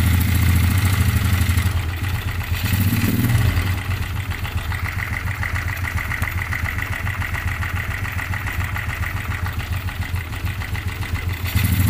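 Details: Restored Yamaha Jupiter Z1 used for trail riding, rough and lacking power: clattery idle with loose marble-like rattle swelling when throttle blipped; mechanic suspects loose piston, clutch plates also suspected, unconfirmed.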